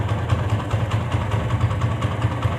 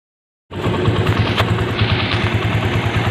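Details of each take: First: TVS Apache single-cylinder after an engine rebuild, earlier "bad-bad" knocking now gone: steady, even idle with a smooth regular beat and no knocks or rattles. Normal idle. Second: TVS Apache single-cylinder motorcycle before engine rebuild: steady idle with a loose, uneven low chatter of about three beats a second over the exhaust; abnormal engine noise, cured by reworking the engine.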